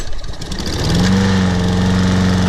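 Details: Toro Personal Pace Recycler 22-inch mower, Briggs & Stratton 190cc 7.0 gross torque engine, after carburetor cleaning, tank flush, new seat and air filter, old gas removed: starts first pull, steady even drone, no misses or surging.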